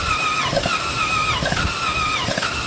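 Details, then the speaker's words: 2013 Jeep Wrangler 3.6L cranking after the owner changed valve cover gaskets: light, even spinning with no compression strokes and about 2 lb on cylinder one; low compression. "We were turning it over. Don't sound like it's got compression."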